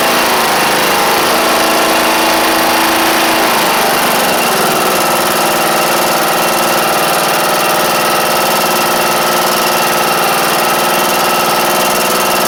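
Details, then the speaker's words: John Deere E100 lawn tractor, Briggs & Stratton single: loud, busy rough running with a ragged uneven beat around 200 per minute after an oil-leak repair; the connecting rod broke not long after. "So, you know, in the last clip when I said I didn't really like the way that it sounded when it was running. Well, not too long after that, the connecting rod broke on it."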